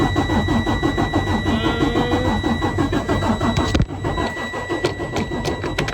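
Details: Freightliner Cascadia DD13 with code SPN 157 FMI 15 (rail pressure not reached), after retightening a loose fitting: steady starter cranking at about three beats a second, never catching. Crank, no start from a failed high-pressure fuel pump.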